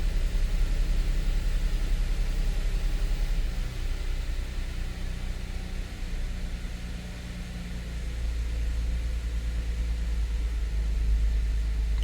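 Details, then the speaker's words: 2013 Audi Q7 supercharged 3.0T first start after repair for misfire and oil-coolant mixing; steady low even idle with no misses or knocks, slight vibration possibly from engine mounts, not misfire-type; normal idle. "there's some vibration but it's not like a misfire type of vibration"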